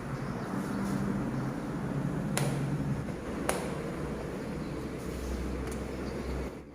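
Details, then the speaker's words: Honda Scoopy seat latch after the rubber-wrapping fix, seat button pressed again: a few sharp clean clicks over a quiet hum as the seat pops up, latch now closing easily and releasing normally. "jadi mudah kita tutup dan mudah terpental saat kita menekan tombol Shift"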